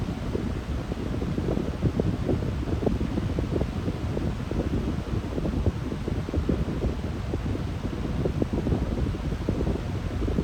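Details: Lasko high-velocity fan fitted with a startup capacitor, running on medium speed: a steady airy rush with a low rumble but none of its usual loud motor hum on medium. The cause is unclear and the owner is puzzled.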